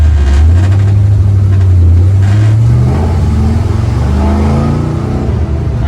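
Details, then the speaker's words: 1974 Corvette V8 under full throttle in third gear after new spark plugs and compression check: pulls hard to about 75% throttle then sags and falls flat, running too rich and flooding out — carburetor bog needing retune. "running too rich, and when I punch it, it's just completely, you know, flooding out and falling on its face like it is."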